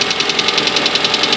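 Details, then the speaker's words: Petrol engine first started after head gasket replacement and reassembly idles with fast, even, light ticking from hydraulic lifters not yet primed with oil; expected to fade as they fill. "alors ça claque un petit peu tu entends le ttic ouais ça c'tait pousir hydraulique il faut qu'il s'amorce avec l'huile"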